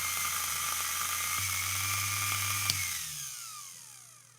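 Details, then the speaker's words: Restored, cleaned and rewired vintage Elson watchmaker's lathe motor running in reverse (counterclockwise) after reseating the brushes: smooth, steady high whine, then a clean coast-down after switch-off; runs normally. "there it goes okay let's try reversing it right now so if you're look looking down the shaft that is turning counterclockwise"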